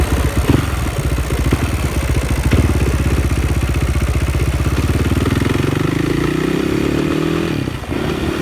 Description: KTM 560 SMR started making juddery noise and feel. no longer pulls smooth and hard. you can hear the noise when i accelerate.